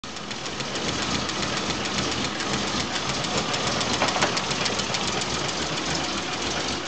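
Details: Volvo 965 2.5 brought back from the dead: idle with a loose, irregular, slightly hissy beat of three to four pulses a second; rough, unsteady running, cause unknown.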